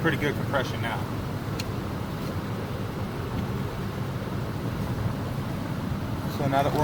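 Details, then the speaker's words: Baja minibike engine, previously seized with no compression, after being taken apart and reassembled, spun over with a drill on the bench: an even chuffing of about three strokes a second; compression now good. "I'll spin it over with the drill and show you what we got for compression"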